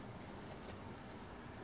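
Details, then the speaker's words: Imax B6 mini charger cooling fan after disassembly and lubrication with Litol-24 grease, running while discharging a lithium battery at maximum current: quiet even low whoosh, no rattle, buzz or scraping; previous annoying hum gone, lubrication successful. "смазанный видно как крутится надеюсь что видно только шум небольшой но никаких посторонних звуков не наблюдая можем считать что смазали мы его успешно"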